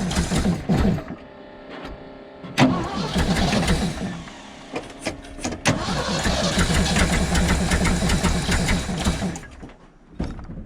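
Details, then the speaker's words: 1975 Ford F750 pipeline truck, carburetor idle mixture screws being turned in: uneven, lumpy idle with irregular stumbles and clunks; runs but not settling, though improving. "i actually think that's getting better another half turned in eventually we gotta get somewhere here"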